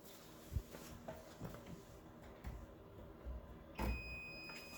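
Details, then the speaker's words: Toyota MR2 AW11 after swapping the original buzzer for a modern, Yaris-like one, tested with the key in the ignition: after handling clicks, a clean, steady high-pitched tone. Sounds much nicer than the dying original. "you can hear it's a lot nicer sound it's uh it's more modern the other the other uh buzzer sounds really bad sounds like it's about to die at any second"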